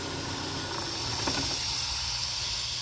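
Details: Chevrolet Cruze misfiring and smoking heavily from the exhaust, idling with the oil cap removed: steady high airy hiss of a vacuum leak through a failed PCV valve.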